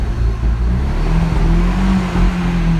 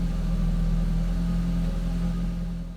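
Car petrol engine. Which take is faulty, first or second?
first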